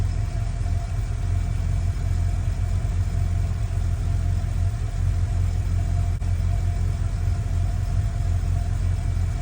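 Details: 1955 Chevy truck with late-model GM LS V8 (E38 computer), first start after year-long build, temporary exhaust, coolant about 187°F: deep steady even idle rumble, no exhaust leaks, rod knock or lifter tick; running exactly as it should.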